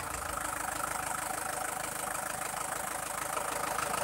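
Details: Freshly overhauled engine: smooth steady idle with an even rapid pulse, no knocking or stumbling; engine sounds healthy and normal.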